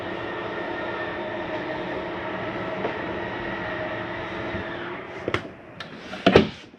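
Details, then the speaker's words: 2019 Grand Design Reflection 315RLTS, bedroom slide-out retracting: even motor drone for several seconds, then clean cutoff with soft clunks as it stops; normal retraction. "Bring that the rest of the way in. And you'll hear it stop."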